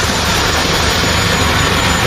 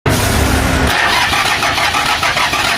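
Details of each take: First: Truck engine that would not start, running again after the broken rocker arms and cups were replaced: it fires and holds a loud, steady run with no knocks or misfires. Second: Engine cranking but not starting: steady fast starter churning with no firing, a pause, then another long crank. The cause turned out to be loose screws and broken rocker arms and cups, to be replaced. Crank no start.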